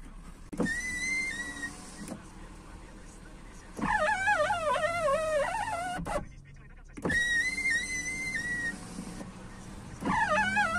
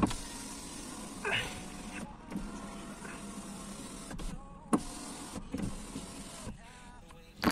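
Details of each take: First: 2001 Skoda Octavia door: power window motor hums with loud pitched squeals on each up and down stroke, a typical problem from worn-out lubrication in the regulator rollers or cables. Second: 2001 Skoda Octavia power window after regreasing and re-riveting the regulator to cure its typical squeak, running up and down smoothly with an even motor hum and no squeak.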